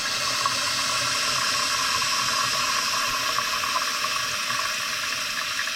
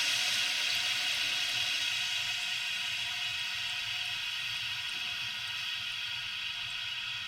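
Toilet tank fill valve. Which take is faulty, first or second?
first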